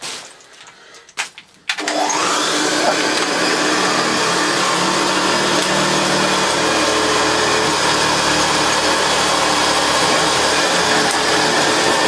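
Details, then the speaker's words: Vintage vacuum cleaner before refurbishment (JaxVax-rebuilt Hoover Senior 652a or repainted Vactric Junior), first switch-on: clicks, then the motor spins up within a second to a steady high whine and airflow roar; runs evenly but sounds tired, needs work. "that's not bad not bad at all but tired it needs some work"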